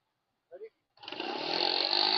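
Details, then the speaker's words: ADV150 scooter during a roadside CVT belt replacement, revved after the rebuild. Revs climb smoothly with a steady rising whine as the clutch engages, with no slipping or chatter. Normal CVT engagement. "She's working. That sounds even better. It's not as unhappy."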